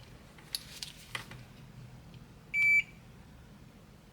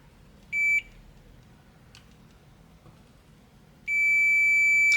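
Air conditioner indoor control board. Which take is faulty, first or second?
second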